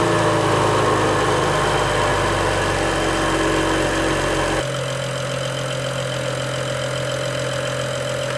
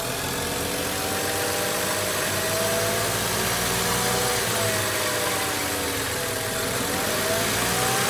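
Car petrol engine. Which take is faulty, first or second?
second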